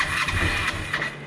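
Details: 2005 Kawasaki Ninja 500R after 10 years sitting, first startup after carburetor work: brief catch and rev on cranking, then the engine dies within a second and won't keep running; idle later needs raising.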